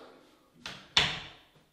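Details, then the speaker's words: Solid core door on newly installed ball bearing hinges: swings shut with a soft thud and a clean latch click, no creak or squeak; quiet, squeak-free operation. "closes very nicely these are solid core doors perfect that's exactly what i want no noise no more squeaking"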